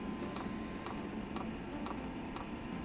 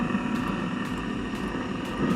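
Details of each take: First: Eberspacher diesel heater, previously wired to the wrong (24 V) supply, with its own fuel pump fitted. A steady, crisp tick about twice a second over a quiet hiss as the dosing pump pushes air; it won't start until the line primes. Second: Eberspacher Hydronic 10 kW coolant heater after pump repair, air purged from fuel line and restart cycle: steady even roar of burner and fan with no surging; heater running normally.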